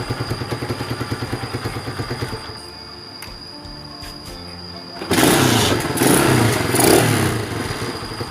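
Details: Honda Sonic motorcycle after fitting a replacement carburetor and tuning, previously hard-starting and sluggish (low compression, vacuum valves suspected): single-cylinder putters unevenly, goes quiet, then fires and revs freely with crisp throttle response.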